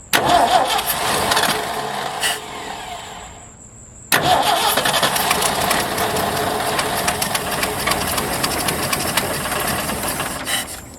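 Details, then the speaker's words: 1977 Ford F350 dually tow truck, unrun about four years, no fuel tank connected: on starting fluid it cranks, catches, dips briefly, then runs steady and even without knocks; engine firing on starting fluid. "This thing sounds like it's gonna run with no problem at all."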